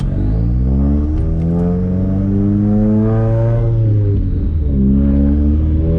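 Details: Subaru turbo petrol engine after misfire fix, new spark plugs, oil, fluids and intake cleaning, warmed up on a test drive, pulls cleanly through the revs and a gear change with no stumble.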